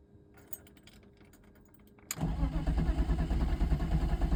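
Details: 1997 BMW 328i (E36) off the road for seven years with rat nests found, first start attempt after engine reassembly. Starter churns steadily at about three beats a second but never fires; cranks without starting, owner next checks the crank sensor.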